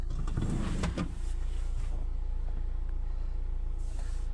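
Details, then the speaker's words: 2021 Hyundai i20, engine idling: low rough grinding whirr as the steering wheel is turned, from a weak electric power steering motor; the steering cover must come off for repair. "यह देखिए हमारी motor आवाज कर रही है मैं steering चलाता हूं"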